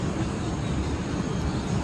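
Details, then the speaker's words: 2008 Jaguar S-Type after new coil packs and spark plugs on both banks and new intake manifold gaskets, idling with a steady, even low rumble. No codes and no misfires; normal idle. "So far, so good. We're running pretty good. No codes. I mean, no misfires."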